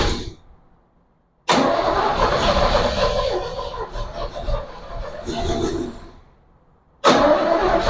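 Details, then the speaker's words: 1967 Chevy Bel Air wagon, sat 30+ years, carburetor fed from a bowl, fuel quality uncertain: catches with a loud burst, stumbles a few seconds, dies and is cranked again; fires but won't keep running. "yeah well I just got back from having dinner with the family so before I left this thing pretty much just fired didn't really run"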